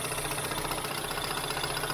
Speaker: Du coup bah on est prêt pour un premier démarrage. Hop là. Ah, quart de tour. Donc, pression réglée à 3 bars.